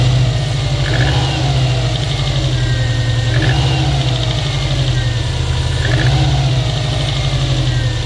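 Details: Engine knocking when cold: at cold idle, a fast light knock rides over a steady low drone.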